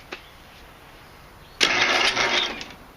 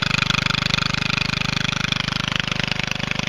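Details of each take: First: MTD Statesman or Murray Select mower engine: single harsh second-long crank that chokes off abruptly, engine locking at one point in its rotation; seized from a stuck exhaust valve. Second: MTD Statesman riding mower engine running with the clogged, seized muffler removed: loud, sharp, rapid even popping from the open exhaust, about three and a half beats a second, steady before shutoff; normal running without muffler.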